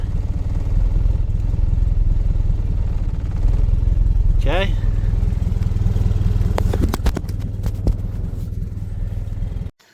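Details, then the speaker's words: 1991 Eagle Talon TSi, idling right after setting base timing to 5 degrees, with no exhaust fitted: raw, loud, steady low pulsing idle with hard unmuffled bark. "I just set the base timing and uh right now has no exhaust on it."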